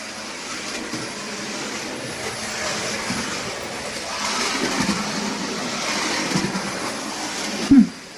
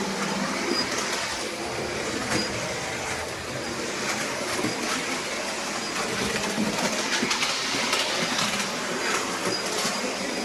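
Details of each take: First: New Bachmann OO gauge Midland 1P 0-4-4 tank engine running in backwards: even soft whirr with no high-pitched squeak or quacking heard earlier at the end of forward running-in, though it once stopped dead at 60%; running normally. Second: New Bachmann OO gauge Midland 1P 0-4-4 tank engine that developed noises during running in: a very high-pitched squeak above the rolling clatter and an intermittent quack-quack noise; cause not yet identified.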